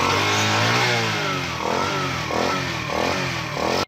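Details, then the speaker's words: United 70cc motorcycle revving: a loud, raspy, hollow intake roar rising and falling with the throttle; the air filter boot was found torn, likely from someone fitting a filter, so the sound escapes through it. "और इसका लोटा बिल्कुल ये फारिग है, क्योंकि लोटा फटने की वजह से इसका सारा साउंड इस लोटे से निकल रहा है।"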